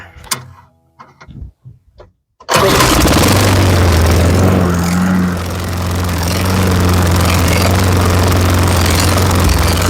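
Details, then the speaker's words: Lawn-Boy 10671 push mower, Tecumseh 5TPXS engine, warm restart after carburetor cleaning for smoking and running only on carb spray: brief cranking, then a steady, even putter; possible slight exhaust-side vacuum leak suspected; normal running. "there we go guys it's good he runs how about that"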